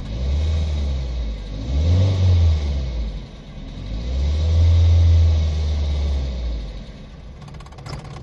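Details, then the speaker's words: Nissan Sentra, P0300 random misfire, engine just reassembled after head work, warm: two rev blips rise and fall, idle sags, engine dies around seven seconds; stalls after revving, losing pressure, cause not confirmed. "se apagó No señores pierde presión señores"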